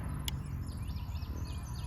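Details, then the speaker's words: Hooyman Hotzone solar fence energizer on a standard non-deep-cycle battery: crisp clicks about one to one and a half seconds apart, each a pulse, indicator light on; working normally. "as far as the the energizer you can see it's got a little indicator light and you can hear it clicking so you know it's working each click is a pulse"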